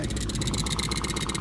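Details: Solar-powered homestead water pump, pump house just built, run to check for leaks: a rapid, even buzzing pulse of about fourteen beats a second with no knocks or hesitation; running smoothly.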